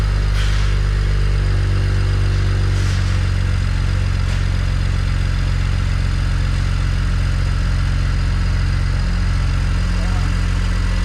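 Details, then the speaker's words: BMW 335xi N54, Pure 600 turbo build, first start after all parts installed: deep, steady idle with an even low pulse and no knocks or ticks; no leaks, smoke only residue burning off. "Oh, that sounds healthy as fuck."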